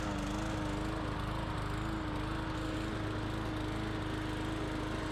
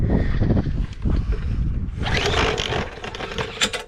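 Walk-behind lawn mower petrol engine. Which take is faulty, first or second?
second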